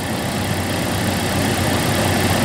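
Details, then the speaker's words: 1998 Jeep Cherokee after no-start, no-spark repair: steady, even, smooth idle with no misses, knocks or stumbles; running again. "that was frustrating but we got it running so I am super happy about that"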